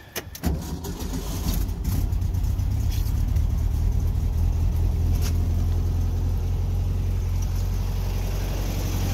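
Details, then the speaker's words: 1964 VW Beetle, 40 hp air-cooled engine, 64K original miles, cold January start on electric choke; cranks and catches quickly, settling into an even, steady fast idle with no misfires as choke kicks down; normal cold start and fast idle. "you can hear the choke kick down right there everything just kicks off the electric choke operates like butter kicks on cold in the morning just like it should"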